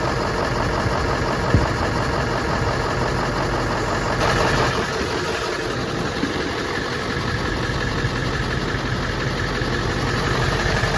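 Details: Ford F-250 Super Duty 7.3L diesel at idle just after an oil cooler rebuild (leaking gaskets replaced) and a coolant refill. Steady clatter with an even, unchanging rhythm and rain-like hiss behind; healthy idle, no leaks, full pressure.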